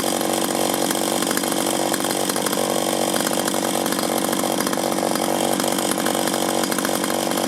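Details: 1983 Echo PB400E two-cycle blower, warmed up and throttled up outdoors after a new fuel line and fuel filter, exhaust-port decarbonizing and air filter cleaning: steady high-pitched buzz at full throttle, no bogging or surging; normal high-rev running.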